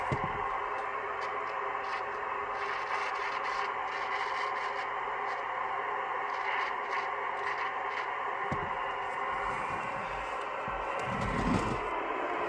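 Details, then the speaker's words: 1980s ham radio volume control (double gain control): irregular scratchy crackles and scrapes over steady radio hiss as knob turns; dirty, noisy potentiometer, to be cleaned with spray rather than DeoxIT. "So this can be kind of controversial, I guess, but this is what I do with scratchy, noisy pots."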